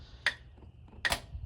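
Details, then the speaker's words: 1968 White cabover truck sitting over 25 years, trying to start: two sharp clicks a second apart, no cranking; not the battery, starter suspected, being tapped. "I think I heard a click when you did that nope it's not the battery so we need to beat on it whack it"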